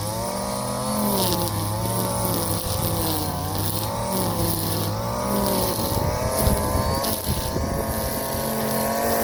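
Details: Warm Stihl FS 56 RC trimmer, almost new, after it ran two tanks of 20:1 mix instead of 50:1 and had its muffler screen and spark plug cleaned: two-stroke buzz revs up and settles back cleanly with throttle, no misfires or stumbles; healthy.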